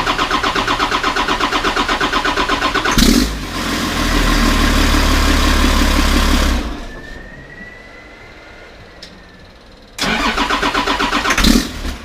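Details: 1991 Ford F350 with a CAT 3126 diesel swap, before the oil pump replacement. Slow, rhythmic cranking for about three seconds before it catches and roars, then it cranks again after a pause: a hard start blamed on the failed oil pump.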